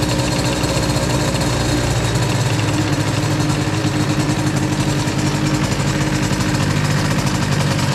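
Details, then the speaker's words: 2Fast 70 two-stroke moped with BOOST crankcases, new cylinder and a 125 competition kart airbox, being broken in and running slightly lean: a loud, rapid, even buzz held at revs, engine not shaking, no knocks. Normal healthy revving. "Ah, j'adore le bruit que ça fait. À Saint-Andiol, on m'a dit ah, ça fait le bruit d'un karting."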